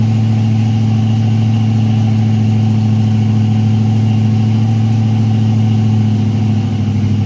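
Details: Freshly built Chevy 350 V8 during first break-in run, idle raised, oil pressure around 46 psi: strong, steady low drone at fast idle with an even pulse, no ticks or knocks; normal raised idle.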